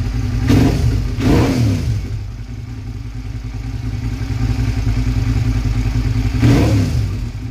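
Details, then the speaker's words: Small two-cylinder engine on a cold start: revs rise and fall unevenly with a ragged, stumbling beat as it drops one cylinder and runs rough; owner suspects a spark plug. "but you'll hear it it'll it'll cut off one of the cylinders and it'll run real rough so I'm starting to think that my sparkplug might be an issue"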